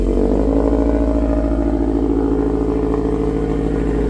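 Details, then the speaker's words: Subaru with titanium exhaust bent back after an accident so it no longer hits the differential: steady, even exhaust drone with no clanks or knocks; normal exhaust note after the fix, though a front rattle still to be checked. "Much better fitment. I think I'm pretty happy with it."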